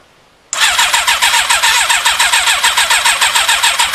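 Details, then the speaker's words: Thunderace motorcycle, fuel squirted in by syringe: starter cranks steadily at about three and a half turns per second with no catch; cranks but won't start. "and it's still not firing so what i'm going to do is take the cab take the air box off and just see if i've connected the coil wires up the right way around"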